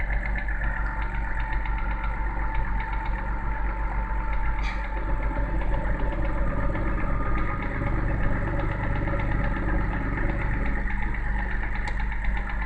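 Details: BMW N52B30 engine, cold start: steady idle with a fast, even tapping on the engine note that disappears once warmed up and revs drop to idle; cold-start engine knock, source unclear.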